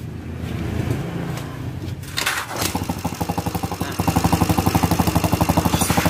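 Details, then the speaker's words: Yamaha Xeon carbureted scooter with noisy engine and smoking, kick-started due to weak battery: quick steady tick about four per second over idle, from a loose valve adjuster nut. "jadi suara mesinnya berisik emang ya yang ke-1 suara mesinnya berisik yang kedua pendapat ngebul"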